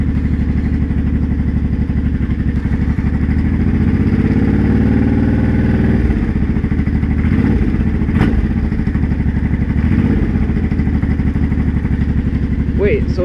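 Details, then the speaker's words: Honda Shadow 500 V-twin while riding: a rattling clatter over the beat under throttle that dies when the throttle closes, worsening quickly after months of low-rpm knock. Cause found: broken and loose flywheel bolts lacking the specified Loctite. "yeah that clearly getting worse oh maybe shove your way home and that'll be it for this year cuz that sounds that sounds bad"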